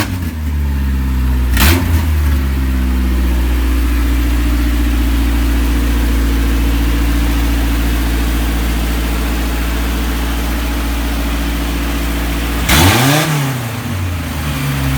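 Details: Isuzu Rodeo 4ZE1 after a top-end rebuild and full reassembly: steady, even, stable idle on all four cylinders with one quick blip near the end. Compression still to be checked; slight backfire owner suspects is timing. Normal running.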